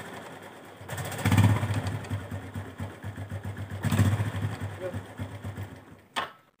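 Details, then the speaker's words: Honda Revo Absolute 110 motorcycle: engine catches and idles with a loose, uneven kletek rattle under the beat; clutch clatter from centrifugal clutch shoes opening too far and striking the housing, clutch rubbers also suspected. "Saya kedatangan sebuah motor Revo Absolute di mana yang suara mesinnya ada kletek-kletek ya. Jadi di sini tuh ada suara kletek-kletek ya."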